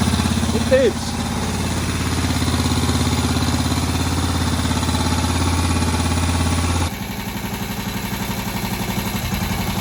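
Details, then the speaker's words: Moto Guzzi single shed find idling on its first run in about 40 years after head work, needing some adjustment: steady, even slow thump, regular beat, idle holding. Healthy normal idle. "So here it is, sitting there, ticking away. I'm pretty pleased with that. First time it's run, I believe, since the mid-80s."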